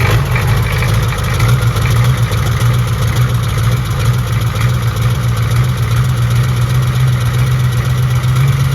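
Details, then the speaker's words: Built 1990 Ford F250 7.3 IDI turbo (R&D 90cc pump, stage one injectors) first start: deep lumpy diesel clatter idling unevenly, smoking heavily; pump untimed, one glow plug possibly unhooked, needs to burn things out. "this hasn't been timed so it's smoking up a storm but it's also just going to have to burn a few things out"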